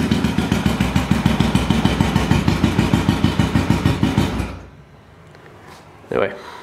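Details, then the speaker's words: 1974 Honda CB500T cafe racer on electric start: fires right up, then runs with uneven lumpy pulse about three beats a second for four seconds before shutting off; rough running, owner plans carb rebuild and synchronizing. "yeah fires right up does not overwhelm a little bit rough hopefully soon I can get that straightened out"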